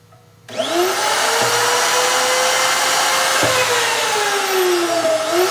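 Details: Low-use 2005 Hoffmann MU2 dovetail key machine on single-phase 110 V, run for an extended period: the motor holds a steady, even high whir with no rattles or bearing noise. It runs as new.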